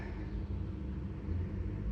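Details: 2004 Toyota Camry XV30, 2.4L I4, automatic, first start after starter replacement, hot day: steady low even idle rumble with no knocks, misses or grinding; normal idle.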